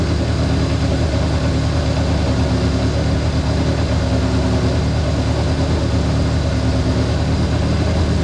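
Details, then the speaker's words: Honda CA160 Benly engine after carburetor rework (clogged pilot and main jets cleaned): steady even low thrum at idle, no misses, knocks or rattles; runs smoothly and healthy. "Well, she runs."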